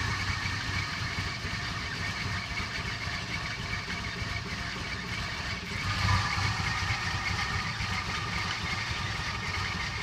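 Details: Toyota Cressida at idle: uneven chuffing with irregular low thumps and a brief surge midway; the engine idles rough, cause undetermined.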